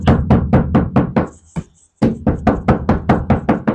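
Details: Hyundai Stargazer bare roof panel tapped before Vtech sound deadening; a row of hollow, tinny knocks each ringing briefly, thin undamped sheet metal.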